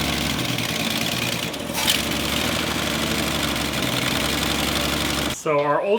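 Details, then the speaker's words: 1966 Ford Mustang barn find after replacing a bad carburetor with a good one, choke and idle mixture being adjusted: even steady run, idle a touch high but smooth, no miss or stumble; normal idle. "yeah new one's good and we're adjusting the basically the idle choke i don't choke so it's not revving up so much and the idle and the fuel mixture maybe too"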